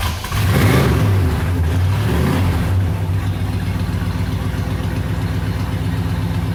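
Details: 1969 Chevelle Malibu cold start after sitting parked for several winter months: long uneven cranking and stumbling catch for about three seconds, then a lumpy low idle settles in; hard starting when cold.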